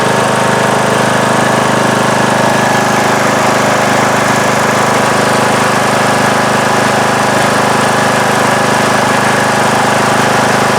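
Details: Craftsman mower, 19.5 hp Briggs & Stratton single-cylinder, after re-gluing the loose flywheel magnets: a steady, even full-throttle drone with no misses, knocks or surging. The tapping noise is gone and it is charging at about 12.8–12.9 V.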